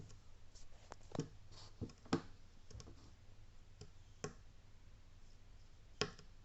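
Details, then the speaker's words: Köln 80 L water heater with two dry heating elements, after about 10 months: irregular sharp cracks, sizzling and clicks over a faint hum as it heats, fading when switched off; sound seems to come from the right side. "усиливается это ответственные этот на сковородке жариться что-то выключаю у нас приходим к защите останавливается меньше меньше делающие потрескивание все звук уходит"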